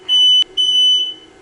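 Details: Freshly rebuilt 5.9 Cummins 12-valve diesel on an engine stand, first start: two sharp high-pitched beeps, one short and one longer, over a faint low hum; the house smoke alarm triggered by exhaust fumes.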